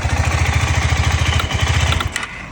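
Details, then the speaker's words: KTM 390 Adventure single-cylinder motorcycle, freshly fueled: thumps at about fourteen beats a second for two seconds then abruptly cuts out; stalls straight after starting, cause unknown. "ಡೈರೆಕ್ಟಾಗಿ of ಆಗ್ತಾ ಇದೆ ಹಿಂಗೆ ಇದೇನು issue ಇದು ಹೊಸ ಹೊಸದೇನೋ start ಆಗ್ತಿಲ್ಲ"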